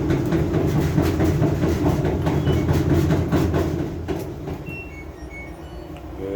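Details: LG front-load washer with a heavy, rhythmic knocking rumble of about two thumps a second, like driving a rough road.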